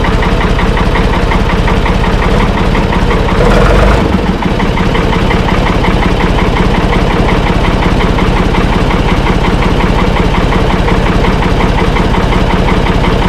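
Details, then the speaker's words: Auction-bought Ford tractor with no clutch pedal, first start after reinstalling the battery: starts easily and settles into a steady, even diesel chug at about 167 beats a minute, no knocks or misses; idles smoothly and sounds healthy. "Well, it started started up pretty easy. They said it run, so that's good."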